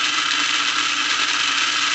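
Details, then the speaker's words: Lionel plastic-case Scout motor in #1110 2-4-2 locomotive, direct-wired, at about half throttle (7-8 volts): harsh steady high-pitched whir, loud even at slow speed, from the jam-prone reversing unit. "so it will go on these slower uh speeds but you hear how loud it is even at these slow sp"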